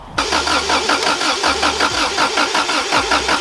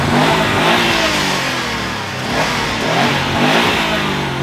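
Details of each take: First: Subaru Impreza WRX STI Classic with lost keys, being hotwired with a cable to the starter; starter churns with pulsing compression rhythm but the engine never fires; immobiliser suspected, possibly also no or stale fuel: crank no start. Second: Subaru Impreza WRX STI Classic, hotwired after lost keys and an immobilizer issue: engine revs freely and rises smoothly under throttle with no knocking or misfire; starts and runs normally.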